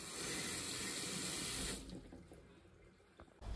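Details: Water run after the customer's faulty unit was swapped, refitted level and sealed. An even, full water rush shuts off cleanly in under two seconds with no hiss or knocking; it is working normally.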